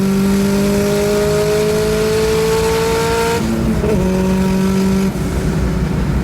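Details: Nissan Sentra with SR20VET swap, new traction bars: engine pulls cleanly up through the revs, shifts, pulls again, no surging or hunting; boost holds a steady 9 psi, where before it fluctuated between 6 and 9.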